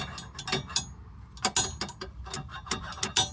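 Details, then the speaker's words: Chevrolet Tahoe front sway bar link worked by hand: irregular sharp clicks and loose clunks showing play; worn link with cracked bushing causes front-end rattle over bumps and a loose feel in curves. "So, if you got a lot of rattling on the front end when you hit a bump, you drive on the road with no bumps and it's smooth and you don't hear a lot of noise, or you taking curves and it feels kind of loose this is your problem."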